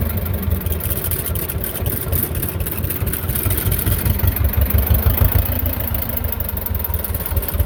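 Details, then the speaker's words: Belarus 250 tractor, 2-cylinder air-cooled diesel that sat for years, at 3/4 throttle: uneven clatter swells and sags, almost dies then comes back; fuel starvation, owner suspects the injection pump. "fuel's getting down it wants to just run and then kind of surge almost die then it'll come back"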